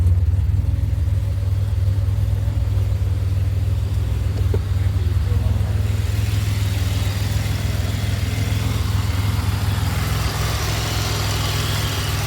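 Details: 2007 Pontiac Grand Prix GT start test after a fuse box swap, which the owner hopes cured its crank-no-start. Engine catches and settles into a steady low idle, then revs rise smoothly; runs evenly with no misses.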